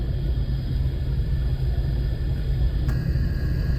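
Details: Lexus LS430 at 60 mph, chassis-ear microphone on passenger rear hub: steady low rumble with faint hum; drone noticed after rear diff fluid change and tire rotation, no wheel play, diff or bearing suspected, cause unconfirmed.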